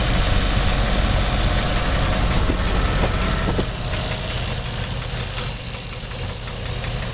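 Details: 2001 Land Rover Discovery 2 aluminum V8 at rough idle with a loud, quick steady clicking of about three beats a second, louder from underneath the car; a machine shop blamed the head and advised sleeves, unconfirmed; oxygen sensor check engine light on.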